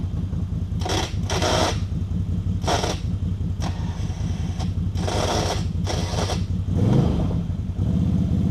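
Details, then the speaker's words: ATV winch with a shop-replaced cable that wouldn't pay out properly, paying out: a fast, rough pulsing growl at a steady rate, gritty rather than a smooth whir. Abnormal internal winch noise; the owner suspects something busted, unconfirmed. "yeah that was making some weird noises or wasn't it I got it all the way out"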